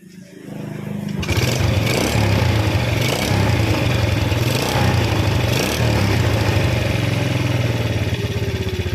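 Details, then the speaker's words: Yamaha Vega R motorcycle engine runs with an uneven, wavering idle that won't stabilize; inlet valve clearance had closed up from carbon buildup and overheating, leaking compression, with light cranking hinting at it. "Well, apart from the gas which doesn't slow down, Bro, it doesn't want to be stable."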